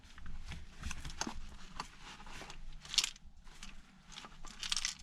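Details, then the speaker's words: Yamaha Blaster ATV with a locked-up bottom end and a no-shift complaint: irregular clattering and crunching as the engine case is moved, from broken pieces rattling in the lower crankcase after something blew up inside. "hear that oh yeah there are all kinds of pieces rattling around in the lower part of this motor something big blew up inside"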